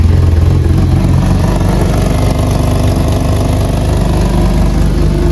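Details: BMW E36 being prepared for a drift competition, just started: a loud, rough, tractor-like chuffing idle with a coarse puffing beat over the engine, typical of a blown exhaust manifold gasket.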